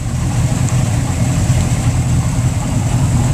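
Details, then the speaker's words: Boat's Mercury engine idling in the water at the dock after two minutes' run: deep, even idle burble with no knocks, ticks or hunting; Mercury computer scan shows no codes, no engine knock, fuel flow good. "but you can hear him running let's give you a shot of the engine nice nice here you go"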